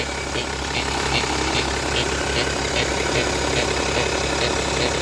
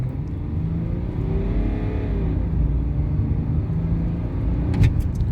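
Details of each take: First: BMW 525d E60 six-cylinder diesel: steady idle with a regular nasal quack about twice a second; noise stops when the turbo actuator vacuum line is squeezed, so a vacuum fault is suspected, not confirmed. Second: BMW 525d E60 six-cylinder diesel with a battery-drain recall, under full-throttle acceleration on a test drive: deep, steady pull with a smoothly climbing note, no hesitation or flat spots, proper boost. It now runs as it should, though a vacuum leak is still suspected.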